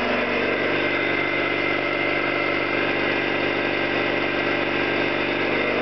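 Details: Orlík 2 JSK 75-2 compressor, one of first runs after owner's own overhaul (valves, seals), motor temporarily started in star due to house breaker; steady even pumping beat, constant pitch, no knocks or rattles, healthy.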